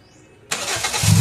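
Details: Toyota Vios with check engine light that wouldn't start, starter relay only clicking; after adding missing engine oil the engine catches within a fraction of a second and rises into a firm, steady run.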